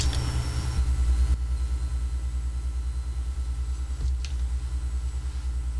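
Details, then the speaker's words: Xbox power supply on the bench, voltages reasonably good; low throbbing buzz pulsing about three times a second with a faint click: power supply buzzing, cause unconfirmed, possibly resonance or subharmonic oscillation. "It is making a weird noise. Can you guys hear that? Voltages look reasonably good. I am concerned about that noise though."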